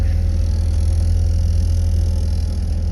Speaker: we've got our Honda Z 600 here warming up it has bad gas so it is not like in the run pushing choked